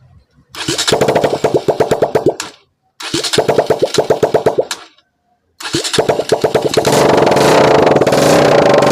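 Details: Bajaj Pulsar NS 200 after full engine rebuild and fitting, petrol fed from a separate supply, electric start: two short cranking bursts with even chuffs, catches on the third try and settles into a steady, healthy run.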